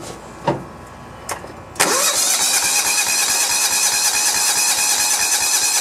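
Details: John Deere 170 mower with Kawasaki FC420V engine, aftermarket ignition coil reading 4.3 kilohms: starter turns the engine over at a steady, even rhythm but it never fires; crank-no-start from weak to no spark, fixed later with new ignition components.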